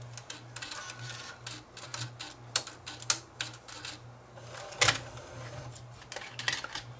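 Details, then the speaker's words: Fostex D10 DAT recorder with Error 02, chassis remounted and a tape inserted: irregular clicks and clacks with a loud snap near five seconds; the transport cycles but never settles and ejects; loading is incomplete, and the mode switch timing is suspected. "So, something's not right. I'll have to investigate a little further."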